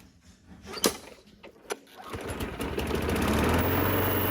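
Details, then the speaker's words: Craftsman self-propelled mower with replacement engine swapped in, testing self-propel after belt check: a couple of sharp pull-start tugs, then it catches and settles into a smooth, even run; good runner. Normal running. "Good runner. Happy with how that turned out."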